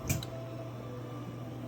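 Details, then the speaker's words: Harman P61 pellet stove: a single soft pop, then a steady low blower hum as the smoky fire lights late; a faulty Triac on the control board supplies the igniter about 2.32 A instead of about 3.5 A. "There you go, there's the pop, there's the smoke, and it did finally light. But in this case, the delayed ignition is really caused by the control board itself not supplying enough current."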